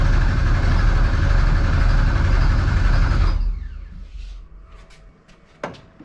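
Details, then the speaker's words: 1200hp Ford Taurus race car with 75 psi fuel pressure, cranked to build oil pressure after a crank trigger problem: a steady, even cranking beat of about four per second for three seconds. The engine spins over freely and oil pressure comes up. "So we want to crank this thing over until our oil PSI right there moves. Hopefully it sounds good."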